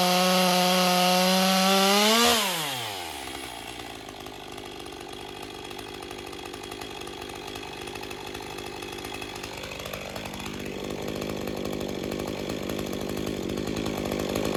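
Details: Stihl MS201TC-M (M-Tronic climbing saw), relatively low hours, first start after no-start diagnosis and reassembly: an even two-stroke idle, then it revs up smoothly and holds steady without sputtering, smoking slightly, and runs properly.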